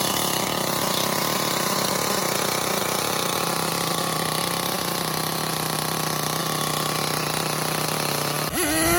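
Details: Losi LST with Mach .26 nitro engine, rebuilt carburetor with new O-rings and a cleaned air filter: a high, steady buzzing run for about eight seconds, then sharply climbing revs; a healthy, free-running engine.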